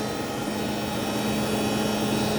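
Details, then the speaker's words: Traeger pellet grill after control board replacement, auger motor running: steady fan hum with a faint scraping edge as the fan blade catches the orange wire inside. "I need to do some wiring inside cuz this noise looks like it's touching the wire somewhere let me fix this"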